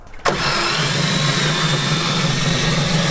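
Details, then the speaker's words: Car whose engine was hydrolocked by water put in the intake while driving: it spins up with a smooth drone and no compression chuff, and parts were ejected. Loose flywheel, no compression; engine a total loss. "Va suave Creo que esto tampoco fue muy bueno para la compresión."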